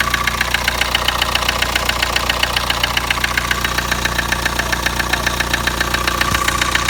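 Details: Kia Sportage engine: sharp, very regular knock at about 222 a minute on top of the idle, starting immediately from startup; something inside the engine is knocking, cause unclear.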